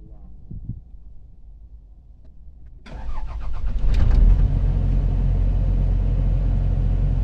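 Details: Komatsu PC70-8 excavator diesel after replacing the faulty backup sensor that caused hard starting; brief crank catches within a second, steady even diesel clatter, no hesitation or misfire; normal start and run.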